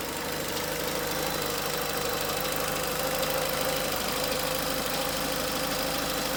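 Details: Peugeot 307 1.6 16V 110 at idle: steady idle with a fine ticking clatter riding over it, about three per second; abnormal engine noise, cause not identified.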